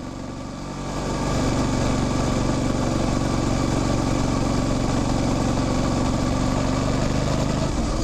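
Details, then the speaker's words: Modern motorcycle drivetrain running normally: an even, steady engine drone, a chain chirp that rises with speed, clunks at each gear shift, and the fuel pump audible at key-on; no abnormal knocks. "Ten świergot narastający wraz z prędkością, to jest właśnie dźwięk łańcucha. Te stuki to moment przełączania biegów, a reszta to po prostu to, co dzieje się w silniku, w skrzyni, w sprzęgle."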